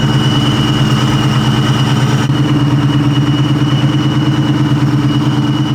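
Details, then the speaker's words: 2003 Ford Mustang Mach 1 V8, freshly Vortech-supercharged with a Diablo Sport tune, no coolant yet. A deep, even idle with a steady lope and no knocks, ticks or misses. Smoking is from new work and exhaust manifold gaskets. Normal supercharged idle. "This Mustang is running extremely well."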